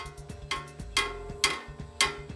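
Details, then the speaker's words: Royal Enfield rear brake pedal, M8 adjuster bolt and rubber pad, engine idling: sharp metallic knocks about every half second; pedal striking the exhaust header heat shield. "So this is basically right now hitting the header. In this bike the shield is getting it's hitting the the pedal is basically hitting the main heat shield,"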